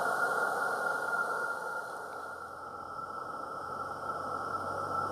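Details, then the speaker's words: Accucraft Caradoc 0-4-0T live steam garden locomotive, gas burner lit with firebox door closed while building steam pressure: steady soft hissing roar with faint whistle, no pulsing or popping; calm, healthy burner. "just let the engine just sit there and let it till it gets nice calm roar on the go and basically just leave it to build up pressure"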